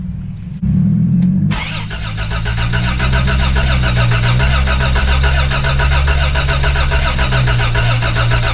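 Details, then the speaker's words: Toyota FJ62 barn find, 291k miles, parked 10 years, cranking after freeing seized rockers; has spark, fuel pump fed from a tray of gas, oil reaching pressure gauge line: starter churns with weak catches but never runs; crank-no-start. "sounds like she's trying to start and there is oil in the oil pressure gauge line"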